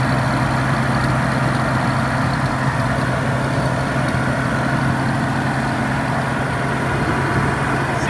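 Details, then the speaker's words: R31 Nissan Skyline turbo conversion, first start after the exhaust was tacked up: a steady idle with sharp, raspy puffing from a bad exhaust leak low near the turbo. Later sealed. "Well, that's kind of a good sign. Sounds like it's got a mean exhaust leak."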